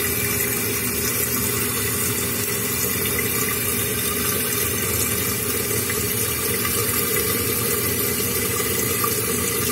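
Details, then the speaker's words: Running toilet repair: constant rushing of water refilling the tank with no gurgle after the flush valve flapper was seated to seal; tank refilling normally, chain slightly tight. "The water's rising. Looks like we created a seal with the flapper."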